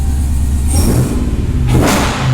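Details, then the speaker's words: 1968 Dodge Charger restomod with Hellcat engine swap, first start after sorting wiring and modules, clearing long-stored unburnt fuel: deep V8 rumble climbs cleanly as throttle opens and settles smoothly; previously ran rough and started poorly, now revs normally. "we finally have this thing running to the point where it's able to start, it sounds healthy, and you're actually able to hit the accelerator and the engine revs."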